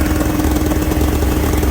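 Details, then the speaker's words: Polaris Indy 680 Ultra snowmobile two-stroke, cold start: steady, even idle that sits a little high at about 1800 rpm, but is manageable. "A little high, but not terrible. About 1800. Very manageable."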